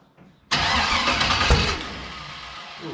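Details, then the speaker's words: Turbocharged LS-swapped VW Bug, first start while cranking to prime the turbo oil feed with the 4 coil wires off; one spark plug wire was missed, so the engine briefly catches and roars for about a second before dying back. "why did it fire? These 4 coil wires are off. Oh. I missed 1 spark plug wire."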